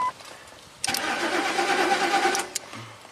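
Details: 2003 Ford 5.4L V8 (called Expedition and Excursion), over 200,000 miles, off the road six months. Fuel pump and inertia switch already replaced; P0231 stored, no fuel pressure, 0 volts at fuel pump relay output. Under two seconds of steady cranking without catching: crank, no start.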